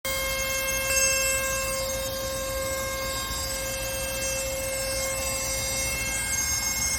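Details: Loud steady high-pitched whine of constant pitch from the engine bay, heard when about to set off; never heard before, cause unclear.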